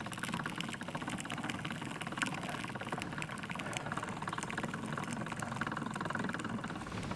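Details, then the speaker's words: Hand-cranked cane crusher crushing stalks for fiber: irregular snapping pops over a steady crushing rattle. Gears mesh poorly and pop back into position, partly because the rollers are set quite tight. "Gears on here don't seem to quite jive. That's where you hear that popping. Gears popping back into position."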